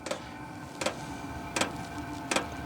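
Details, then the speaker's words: ZHIBANG Chinese diesel heater (27,000 BTU forced-air, battery-powered) starting in a hot-tent setup: crisp, evenly spaced fuel pump clicks, about eighty a minute, over a steady low burner hum as it fires; normal running. "now you can hear the uh fuel pump going she's firing baby let's go"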